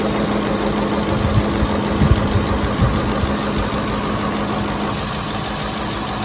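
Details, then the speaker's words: Ford F-150 5.4L Triton 3V V8 idling right after VCT/VVT solenoid replacement: smooth steady idle with light quick ticking typical of these engines; no leaks so far, sounds like a healthy engine. "what do you guys think sounds sounds good healthy engine that's right"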